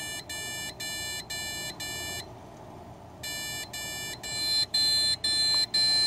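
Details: ASUS Sabertooth Z77 motherboard at startup: shrill beeps about two per second in repeating groups of six. Six-beep POST error traced to motherboard failure.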